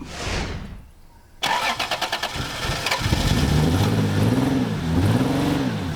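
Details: MGB GT, fuel pump heard running: rapid starter chugging about a second and a half, then it catches and runs with uneven revs; fuel delivery suspected, not confirmed.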